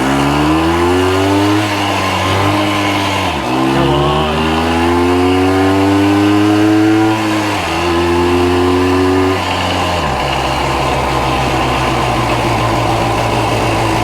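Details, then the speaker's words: 1965 Montgomery Wards Benelli 125 Scrambler two-stroke after revival including carb jet cleaning, riding: note climbs and drops cleanly through several gear changes, crisp even firing, no misses or knocks; runs well. "runs pretty good I don't say so myself"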